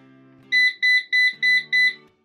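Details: Eufy RoboVac 15C gives five quick high beeps, about three a second, as its error alarm and will not work. The cause is a failing, worn-out battery.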